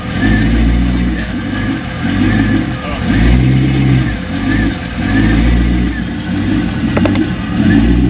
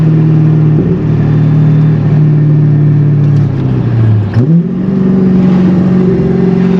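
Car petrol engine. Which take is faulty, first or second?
first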